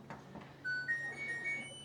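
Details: New LG dryer just installed: a click, then a quick rising run of bright beep notes in a quiet room; powering up normally.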